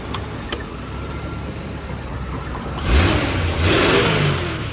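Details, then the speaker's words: 1981 Jeep CJ-7 Laredo, 258 inline-six, 4-speed Tremec T176, after tune-up (cap, rotor, plugs): fires right up, quiet idle then two clean quick blips; healthy. "Let's fire it up. Fires right up, no problems."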